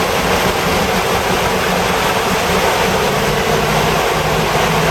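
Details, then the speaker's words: 1988 Toyota Hiace after fitting new viscous fan coupling and new belts, idling: loud, steady rush of air with no flutter or rattle; fan clutch locks in and pulls hard; normal fan engagement. "Viscous coupling definitely locks in. Alright. Definitely moves some air."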